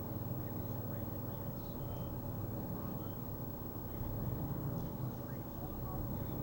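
A low, uneven rumble that surges and sags slightly instead of holding steady at idle, pointing to a rough-running engine.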